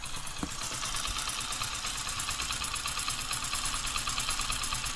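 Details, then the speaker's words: HF Deluxe motorcycle, after the loose bolt was replaced with another bolt, centered and tightened: even, quick idle with no knock or rattle, the noise now fixed. "Centre मिला कर के tight करके तब दिखाते देखिए बिल्कुल sound सही हो गया आपको"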